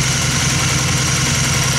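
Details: 2002 Honda Magna V4 warming up just after carburetor rebuild and cleaning, new in-tank fuel filter and fuel line; even, steady idle with a smooth beat and no tapping or stumbling.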